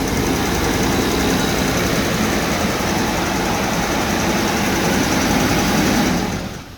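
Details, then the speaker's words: Jaguar at idle after cutting the air pump belt and fixing a vacuum line: steady, even idle with no shake, knock or whine, much smoother than before when it visibly shook. "All right, I'll turn it off because I don't want to yell on camera, but the engine idles a lot smoother than it used to."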